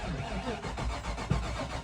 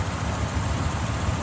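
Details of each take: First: Engine with 254,000 on it, cranked on a charged battery: steady starter churning with a slightly uneven gallop and no firing; no fuel pressure at the Schrader valve, dead fuel pump. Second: V8 idling after jump start, sat a year and a half and needed fuel pressure: steady, even low rumble with no misses, knocks or ticks; runs smooth and healthy.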